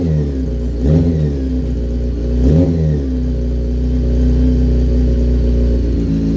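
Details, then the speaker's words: Motorcycle ("the Punisher") with lithium battery recharged for a couple of hours after reading 10.8 V: cold start on choke, settles into a steady, even idle with a couple of light blips, no knocks or misses. Normal cold start and idle. "It works. So right, okay, the battery has taken a charge."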